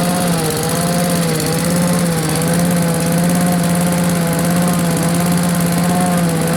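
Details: Blower, run outdoors, drones at a steady even pitch with slight waver and no stumbling; the surge it always had is much reduced, owner thinks it starved for fuel; running well.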